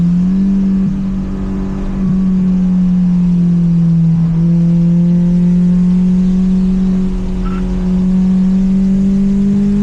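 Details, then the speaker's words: Honda S2000 AP1 that the owner recently got running again, driven on a track to hear it. Clean, even engine note climbing smoothly under load with no misfire, knock or rattle. Normal engine under acceleration. "he recently just got it running and he wants to hear what it sounds like as it drives by"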